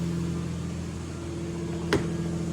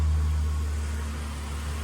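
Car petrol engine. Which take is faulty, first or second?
first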